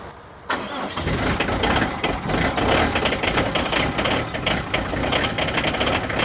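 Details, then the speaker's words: Diesel van/truck with gearbox problem, cold damp ~3°C start after sitting: fires abruptly and settles into an uneven, lumpy cold idle, struggling to start; slight glow plug preheating problem. "bon je crois que c'est clair il ya un léger problème de préchauffage sur ce camion"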